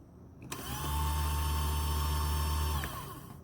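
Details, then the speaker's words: High-pressure ABS pump motor from a 1996 Land Rover Discovery, hot-wired to 12 V on the bench; spins up fast, smooth steady hum for about two seconds, winds down cleanly, no grinding; normal pump motor operation. "now here 's the motor it should operate smoothly it should not sound like a belt sander"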